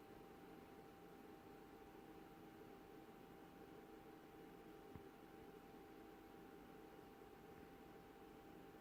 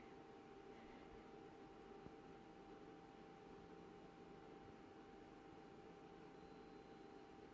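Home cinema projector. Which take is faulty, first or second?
first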